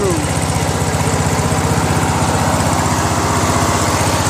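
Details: Craftsman LT1000 with a 21HP Briggs opposed twin after governor adjustment, at lowest throttle: a steady, even low idle with regular firing pulses around three a second and no hunting or surging. A healthy idle.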